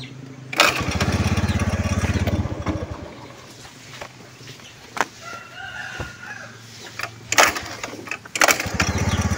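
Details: Honda Beat FI scooter, recorded by the owner at home: engine surges briefly, then sags and dies and restarts in uneven bursts; fuel pump pressure measured at only 30–35 PSI, a weak pump starving the injector.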